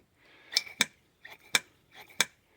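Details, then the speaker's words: Lotus Elite Stromberg carburetor, rear carb with a new diaphragm, piston lifted all the way up and released: crisp metallic clicks in quick pairs as it drops straight back with no lag; the earlier delay was the diaphragm, now fixed. "All the way up. That's a nice fast. And you can hear it."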